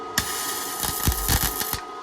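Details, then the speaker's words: Hitbox MT2000 gasless flux-core welding a seam on thin steel repair panel of 1967 VW splitscreen, amps and voltage turned down: short crackling sizzling-bacon bursts over faint whine; good weld. "You'll be able to hear it now. Got it fitting quite good. Happy days. Sizzling bacon."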